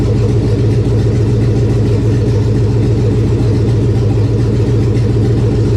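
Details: 1999 Chevy 5.3 V8 4WD junk donor pickup, first run to test the engine: a deep, even V8 burble with a steady rhythm and no tapping or misfire. The engine runs fine.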